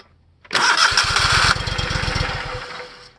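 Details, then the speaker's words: Simplicity Legacy 20 with Kohler CH20S V-twin, new solenoid fitted, connector cleaned with DeoxIT during no-crank diagnosis: starter cranks the engine with quick even pulses for about two and a half seconds, working better. "now it's actually working better"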